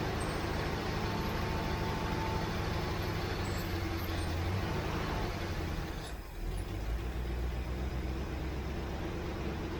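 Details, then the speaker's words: 1967 Mustang after adding about two gallons of gas: even, steady V8 rumble with no stumble or misfire; runs much better, normal running once fuel reached the carburetor. "Well, that must be what it was, because that's a lot better."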